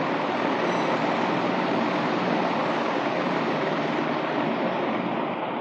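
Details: Sinox Power 12 V DC solar ceiling fan, remote-controlled, running at fifth (top) speed: a steady, even rush of air with no knocks, rattles or wobble; running smoothly and healthy.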